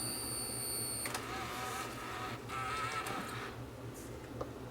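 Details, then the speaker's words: Tascam DA-P1 portable DAT recorder that won't play, tape inserted: faint thin wavering whine as head drum motor strains against a seized head drum; owner also suspects a belt; drum may be unstickable or shot. "Okay so the Head drum is stuck on this one it won't turn whether it's going to be unstickable or whether it's just shot I guess we'll find out when I get this one apart"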